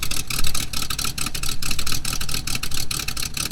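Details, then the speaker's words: 1969 Mustang V8 with points ignition, sat 15 years, first start after cooling system work, condensation coming off the headers: deep loping idle settling evenly as it warms, good oil pressure, no knock or tick, normal warm-up idle. "A bit of condensation coming off the headers. Take the out back. You can hear how it sounds while it's warming up."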